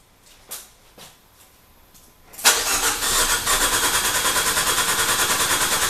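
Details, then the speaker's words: Dallara with swapped Fiat 500 Abarth engine, sat a long time, cranked remotely after wiring fixes, fuel pressure on rail; after clicks starter spins with even chug about three beats a second, never catches; cranks, no start. "anyways we have it cranking it sounds like an engine"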